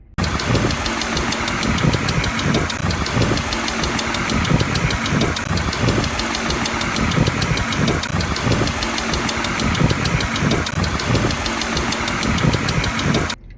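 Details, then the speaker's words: Car engine at idle: rapid light ticking over an uneven idle, constant with speed, identified as hydraulic lifter noise; said to risk valve timing problems, misfiring, and engine damage if oil pressure drops. "अगर आपकी गाड़ी से इस तरह की आवाज आ रही है तो यह हाइड्रोलिक लिफ्टर्स की आवाज है"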